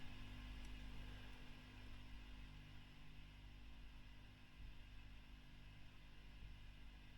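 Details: 2008 Fender Bassman 59 reissue tube amp after service and a V1 preamp tube swap: only a faint low hum and soft hiss, no crackle or rushing, and the amp is normally quiet.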